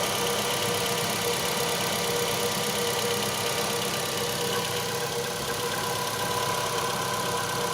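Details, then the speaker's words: Ravon R3, 21,456 km, cold morning start at -8°C after cleaning alternator belt and pulley grooves of embedded debris to cure morning belt whistle: steady, even idle with no squeal or chirp from the belt; normal idle. "ну вот я уже все услышал свист и нет"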